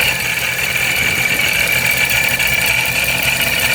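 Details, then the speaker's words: Procharger supercharger on a Dodge Scat Pack 392: a steady, high-pitched gear whine with a gritty edge above a quiet engine. Supercharger oil not yet checked; owner unsure whether the gears are breaking in or faulty. "I'm not really sure if it's something with just the gears breaking in, or if it actually has a problem."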